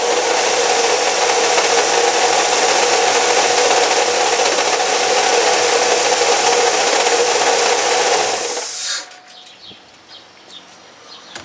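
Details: Chevy Cavalier 2.4L idling with a loud steady rasping whir, noise started a few days earlier; owner suspected the water pump, but it was later found to be a bad alternator bearing.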